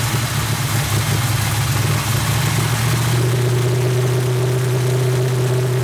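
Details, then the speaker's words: 350 SS truck V8 at first start, after patching a large vacuum leak from the unconnected brake booster: uneven lumpy idle only partly smoothing; runs rough, owner suspects tight valves, cause unconfirmed. "I kind of quit cameraing because I was busy, but I don't know, it don't sound too impressive. Sounds like the valves are tight or something."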